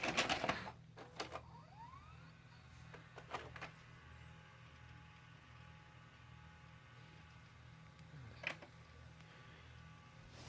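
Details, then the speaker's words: Hitachi UX625 VCR: clunks from the tape mechanism, a brief rising whir, then quiet motor hum. It plays briefly, stops, rewinds and ejects untouched, and the front controls have no effect. Cleaning the rotary encoder switch changed nothing; cause unknown. "every once in a while you get lucky and you'll put the tape and see it just stops and then it starts to rewind I didn't eject it did it itself"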